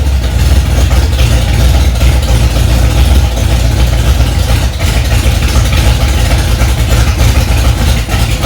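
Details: Freshly rebuilt Ford 289 small-block V8 in a 1965 Mustang "Hack Job", first start after months of work: deep steady rumble at raised idle, no knocks or misses; normal fast idle.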